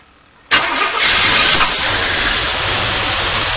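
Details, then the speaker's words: 1982 Corvette C3 left outside a decade, first start after fuel system overhaul with new fuel pump: short crank then flares to a fast high idle that stays high; vacuum leak suspected, linkages need lubing. "Wow! Well, it runs really high. And idle's way high. Let's kill it. Let's kill it. That's way too high. Vacuum leak maybe?"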